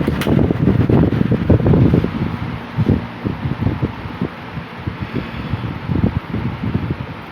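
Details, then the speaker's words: 1950s Worcester Wizard 6JC3020 20-inch box fan with sleeve bearings, before restoration, on low (close to medium speed): even low air whoosh with soft motor hum, no rattle, ticking or wobble; normal. "The low really isn't all that different from high. It's more like a medium speed."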